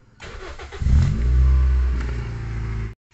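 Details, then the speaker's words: Toyota Vios fuel-injected engine, cold start during used-car health check; quick crank, catches cleanly and settles into smooth even low idle with no knocks or misses, radiator coolant calm without bubbles, normal. "seperti ini ketika kita starter ini airnya tidak menyembur misalkan nyembur sedikit gak papa tapi enggak nyampe-nyampe muncrat ke atas ya terus mesinnya dia anteng"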